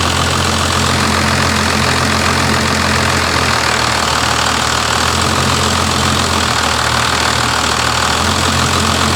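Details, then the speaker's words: First-generation Dodge Ram Cummins diesel after backing the fuel screw off a quarter turn, idle screw untouched: settles into a steady even idle with smooth clatter, no hunting or surging; normal idle. "Sounds better. All right. Huh? Is that just the idle screw? No, that was the all fuel screw."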